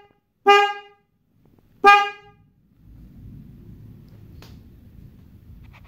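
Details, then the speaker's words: Yamaha R15 with a single Denso snail horn wired without relay, ignition on: two short, clear horn blasts with a bright, steady tone over quiet idle; horn sounds strong and healthy. "Nah jadi seperti itu bunyinya ya teman-teman"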